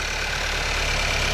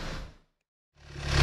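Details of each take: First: 2018 Skoda Octavia 1.5 TSI (about 110 kW) after fixing engine knocking with copper grease, key test run: smooth, steady, quiet idle with faint high hiss, no tapping or rattle, no play; normal idle after repair. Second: 2018 Skoda Octavia 1.5 TSI (about 110 kW) idling: light, fairly even rattle about four per second on top, location unclear at first (possibly near timing).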